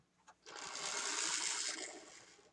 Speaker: Okay, that one runs. It is powered wrong wrong way, but he actually runs pretty nice.